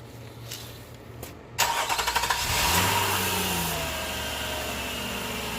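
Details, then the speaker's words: Nissan Murano 3.5L after one new belt is installed and tensioned, with only that belt fitted and spinning: it cranks, catches and runs evenly with no squeal or chirp. The belt squeak is gone so far. "well that's a good sign so far there's no making a speech in noise"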